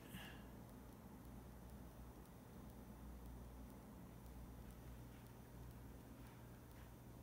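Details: Pioneer WYS012AMFI19RL-16 12000 BTU 115V mini split indoor unit in heat mode, fan just below high speed, heard up close: quiet even rush of air with faint low hum, no rattle or whine; normal indoor unit fan noise.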